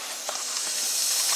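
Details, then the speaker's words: Ford 6.0 Powerstroke, driver's valve cover off, air leak test of the high-pressure oil system: steady high-pitched hiss, with gurgling near an injector, from a leak suspected near the injector/standpipe area. "we got the driver's valve cover off and you can definitely hear a leak on this side"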